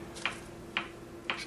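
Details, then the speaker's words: Philco 39-7 tube radio under repair, warming up, plate voltages varying between power cycles: sharp, even ticks about twice a second over faint steady hum, ticking drops as volume is turned up; intermittent ticking of unknown origin. "turn the volume up the ticking goes down"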